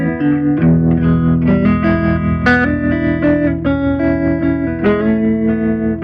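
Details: Gibson GA-40T Les Paul tube amp, 6V6 power tubes, after repair of dead channel one, tremolo, noise and motorboating: clean warm chords with a gentle pulsing tremolo swell, no hum, crackle or motorboating. Healthy amp.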